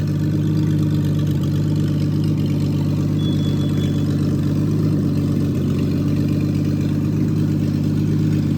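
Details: Freshly rebuilt Triumph TR6 six, head shaved 60 thou (about 8.4–8.5:1 compression), after first start, warmed up, chokes off, distributor slightly adjusted: even, steady low drone, constant pitch, no knocks or misses; normal warm idle.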